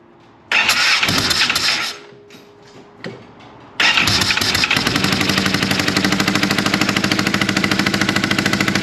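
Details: Polaris RZR 900 fuel-injected, start attempt with plugs cleaned and regapped to 0.030 in: hesitant crank and stumble, then rough idle with sharp regular pops about three per second blowing back through the intake; misfire, owner suspects a valve not closing, later traced to a broken camshaft.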